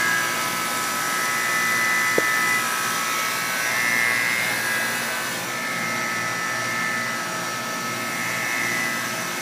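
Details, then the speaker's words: Guardian air conditioning unit started for the first time in a while: steady hum with a thin high buzz wavering on and off over fan noise at startup, happens every time, then stops; cause unknown. "it makes this noise every time. It hasn't ran for a while, so let's see everyone turn it off."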